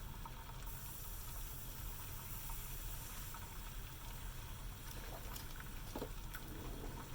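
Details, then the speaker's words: Refurbished 1982 La Pavoni Pro espresso machine, first heat-up, gauge around 0.5 bar: soft, steady hiss with faint bubbling as the relief valve vents steam. Boiler is heating normally, with the pressurestat expected to cut off near 1.1 bar. "we are releasing steam off of here which is good off of the release valve it happens tilt sets"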